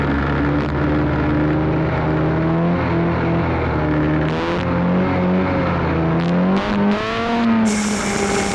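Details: Arctic Cat Cheetah 440 snowmobile bought for about $50, previously running rough, now ridden under load with the camera on the dash; engine note climbs and falls smoothly with throttle, pulling clean without misses or bogging. Normal running.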